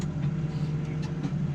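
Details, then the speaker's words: New Holland T7 210 tractor with Welger RP245 round baler, operating the front linkage spool: steady low hum with an even drone and no chatter or squeal; normal hydraulic operation. "coming up if you listen closely like the spool's not working you'd normally hear that were it saw operating the spool now nothing let me operate uh do the green one yeah the green ones front linkage you can hear that going"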